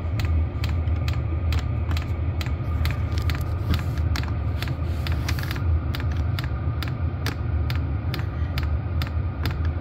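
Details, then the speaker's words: Vevor diesel air heater, combustion temperature about 71°C, set point 11°C: low steady combustion rumble with crisp pump tick about twice a second, fuel pump pulsing and picking up speed; normal running. "can watch the fuel pump down here pulsing so that's working and picking up [Music] speed"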